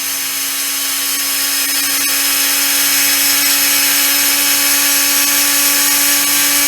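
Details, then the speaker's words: Soviet-era Peleng 1240GS gyro-stabilized binoculars, gyro motor spun up on 12 V, settling near 4 W and 300 mA at about 18,200 rpm. Steady, even high whine with no rubbing or ticking: the gyro is running normally at speed. "So let's spin it up at 12 volts and see how fast it goes. Just checking if this works."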